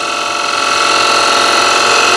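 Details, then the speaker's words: Wood lathe, freshly resharpened gouge riding the bevel: steady, even hiss with smooth tone, no chatter or catches; lovely shavings without force, clean pristine surface. "and I'm getting lovely shavings I don't need to force it and the the shine here is already appearing"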